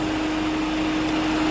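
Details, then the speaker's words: Peugeot 207 1.6 95 hp petrol: steady loud rush of air from the high-power radiator fan switching on with the engine cold; a temperature sensor fault is suspected, not confirmed. "et surtout le ventilateur haute puissance qui s'enclenchera des moteurs froid"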